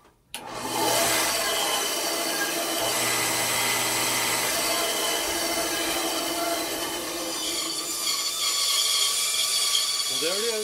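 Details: Craftsman 10-inch bandsaw test run after drive belt replacement: even, steady whir of motor and blade with no slapping, squeal or knocking; normal running.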